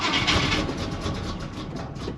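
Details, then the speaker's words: Big-block 1956 Chevy gasser wagon started after sitting a long time in a snowbank, with a battery put in, the carb pumped and the fuel bowls probably empty. It cranks, catches briefly and fires ragged and uneven, struggling to stay lit; it likely needs fuel. "thing actually was sitting in a absolute snowbank hey man she's not happy"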